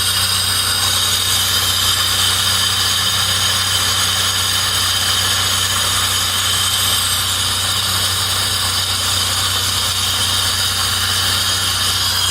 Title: Bad fuel pump?